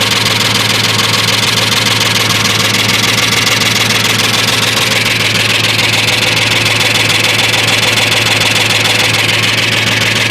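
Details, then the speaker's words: 1998 Ford F-150 4WD 5.4 two-valve without cam phasers, rebuilt about 1.5–2 years ago, some lifters and all lash adjusters replaced: fast even valvetrain-type tick over steady idle, loudest on passenger-side bank; source unknown. "Now, my noise is coming from the right side of the engine. I'm sure you can hear it. Uh the passenger side."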